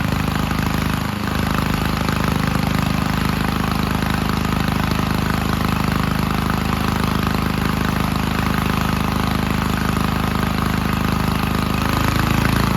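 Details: 1951 Gravely Model L garden tractor single-cylinder, running after fitting a hotter backup magneto (original gave weak spark) and cleaning an oil-filled carburetor; steady even thumping at constant speed, no misses or knocks; normal running.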